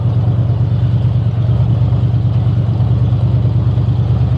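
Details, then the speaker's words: 1960 Chevy Biscayne running after the owner suspects he broke it: lumpy, uneven low idle with irregular pops breaking through the rumble; the engine is misfiring and running rough, cause not yet found. "running uh but it's popping sounds bad huh sounds bad way bad"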